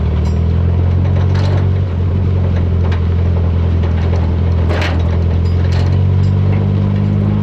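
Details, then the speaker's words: 1985 Toyota pickup, carbureted, revived after 20+ years in a junkyard: low idle with a brief sag near two seconds, barely keeping running and close to stalling; owner says the idle needs turning up, and suspects carburetor adjustment, timing and vacuum leaks. "Yeah, it doesn't want to idle. I got to turn it up a little bit."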